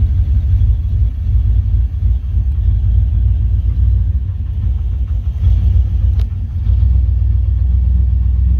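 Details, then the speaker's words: 1988-1998 Chevrolet C1500 pickup with 246,000 miles on the original cap and rotor, after ignition repair for a crank-no-start that began following rain and humidity: deep, even rumble with no misses; running better than before. "that took a bit because the truck was a little flooded before so there was a lot of gas in the cylinders but now it's running better than before 100 percent"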